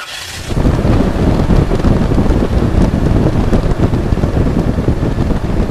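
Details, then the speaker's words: Toyota V6 with an OEM thermostatic clutch fan: engine catches, then a steady deep whooshing roar with no knocks or squeals as the fan pulls air; normal cold-start fan roar. "A lot of people don't like the sound of this, and that's why they want the fan, electric fan, but to me this is the sound of good cooling."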